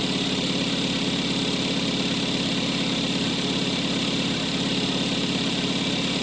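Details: 2013 Kia Soul 1.6L just after alternator replacement with a used low-mileage unit, first start: smooth, even idle with a steady low hum and no belt squeal or chirp; the engine sounds healthy.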